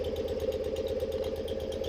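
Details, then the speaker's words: 1974 BMW R90S airhead motorcycle, warmed up, noise heard from the crankcase breather area before fix: lumpy, turkey-like gobbling pulse over a quiet idle; breather flapper valve installed upside down, fix is reinstalling it curved side up. "start it, run it, let it get warm, and see if exactly if the flapper valve is causing it to gobble because it does sound like a turkey."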